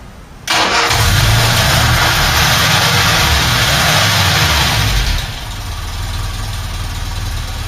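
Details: Ford Cortina Mk5 2.3 Ghia being broken for spares: it starts straight up and revs, then idles with a raspy chuffing puff on each firing beat, an exhaust leak (exhaust blowing).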